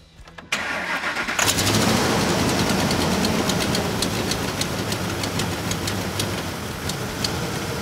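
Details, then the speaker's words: Truck with a lean condition, vacuum gauge on the brake booster hose reading below the 17–21 inHg normal range: cranks, catches and idles unevenly with a lumpy beat and hiss underneath; confirmed vacuum leak. "okay chris all right so now that we've confirmed that we have a vacuum leak let's move on and find out where that leak is coming from"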